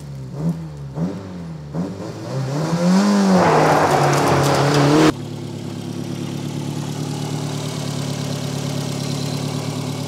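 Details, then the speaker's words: Peugeot 405 1.9L GRX4 carburettor engine before adjustment: idles with an uneven, lumpy beat and slight hunting, running badly because the carburettor is out of tune. "il n'est pas réglé il tourne mal"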